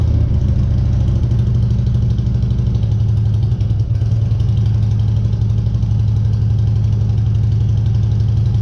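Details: 2014 Harley Street Glide 103" after vehicle speed sensor (P0503) replacement and starter reinstall, no stored codes: the big twin fires up and settles into a deep, loping, steady idle with no misfire or rattle; runs healthy.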